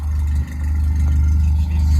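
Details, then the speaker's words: Toyota AE86 (Sr5) with new FlowMaster exhaust, restarted after a cold-start stall the owner blames on the carburetor: deep, steady, even idle burble with no rasp or ticking; sounds healthy. "sounding [ __ ] good man low master for the [ __ ] win low master for the win guys"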